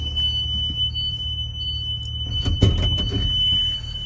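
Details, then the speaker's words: Connecticut school bus pre-trip, rear emergency exit opened; a steady high-pitched buzz holds through the whole clip over a low cabin rumble. The emergency exit door alarm is working properly. "I'm gonna open my emergency exit and I'm gonna look for my ambers and my hazards to make sure they're properly working and I can hear my alarm."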